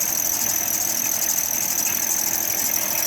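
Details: Vehicle idling: a constant, shrill, high-pitched squeal, steady in pitch over a quiet idle, from a slipping serpentine belt. Power steering is suspected when whining while turning the wheel. The same vehicle has a failed transmission with no reverse.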